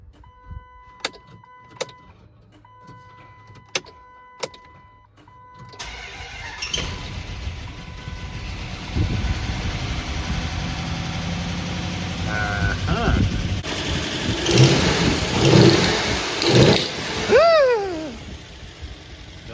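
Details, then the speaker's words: Used Gen 3 5.7 Hemi V8 after engine replacement, first start: cranks with a weak cylinder, catches into an uneven, lumpy, shaking idle with intake popping and ticking, an engine misfire at idle. "You hear the weak cylinder when it's cranking, right? And the popping through the intake, and the ticking, and it's shaking."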